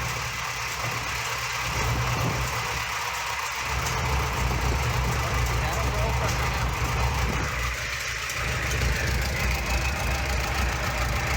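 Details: Junkyard Minneapolis Moline ZAU tractor engine with old plug wires, untuned carburetor and unknown timing, smoky: steady low idle with even beat, slight pop and miss, no heavy knock.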